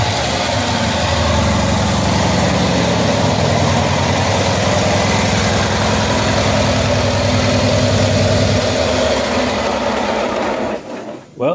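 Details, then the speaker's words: 1974 Cushman Truckster Haulster small engine starting and idling after wiring work and exhaust redo, after sitting for years; steady, regular putter with a consistent beat, no misfires or rattles, normal idle. "is great to hear it run again it's been a while glad it runs"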